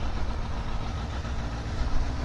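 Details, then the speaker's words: Indy R car's GSXR 1000 K4 engine (166 hp at the wheels, Power Commander) idling from cold just after starting: a deep, steady, fast even idle with no ticking, knocking or stumbling. Normal cold idle; the engine sounds good. "The engine sounds good. Well, it doesn't sound so good on the video, but the engine's super sweet."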